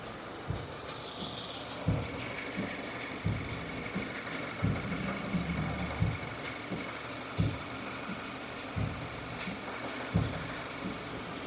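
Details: 2015 Subaru Forester, warm idle out of warmup mode: soft chatter returning roughly every second and a half, not keeping time with engine rotation; new since days before, owner suspected lifter or rocker roller issue; source unclear.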